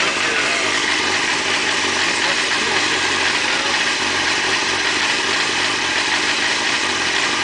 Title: Gsxr Making noise at idle